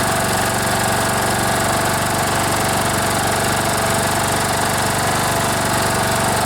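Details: Troy-Bilt Bronco riding mower, Kohler Courage 18 single-cylinder, after carburetor rebuild for gas leak and gas in oil: even, steady chug with no misses or surging; engine runs smoothly at constant speed, no fuel leaking.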